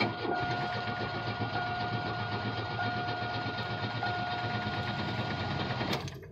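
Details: Chevrolet Cavalier hard start after a short market run and shutdown: engine churns and labours several seconds with an uneven, struggling note; suspected flooding, with raw-fuel smell in the cabin afterward.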